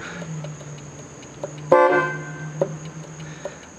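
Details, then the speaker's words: Buick horn works only intermittently after steering column work: faint hum and small clicks, then one short honk that cuts out, pressing all three steering-wheel pads; owner guesses pitted or burned horn relay contacts. "I think my hunch is the contacts are pitted or burned on that relay I don't know for sure that's just a guess"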